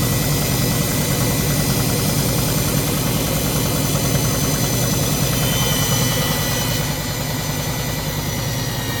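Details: Front-loading washing machine with back and top covers off, motor, belt and drum spindle exposed, during spin cycle: loud steady high-speed spin with even hum, no knocking or grinding; normal.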